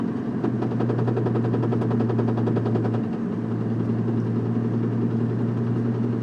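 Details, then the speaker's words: 1997 Nissan Maxima driving: quick regular knocking from the engine bay, about three to four a second over engine drone, rising in frequency with speed, loud on throttle lift-off and gear shifts, quiet with clutch in or at constant speed. "you can faintly hear it now the frequency of the noise increases at increasing speeds if I take my foot off the accelerator it gets really loud like right"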